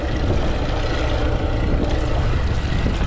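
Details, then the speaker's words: 70 hp outboard on a used boat, fired first try, tell-tale stream weak and possibly clogged: steady, even low rumble at idle with no knocks or stumbles; normal idle. "Engine's running really good. I'm going just let it run for a little bit. I'm actually shocked. Fired up first try and we got a nice stream that 70 horsepower."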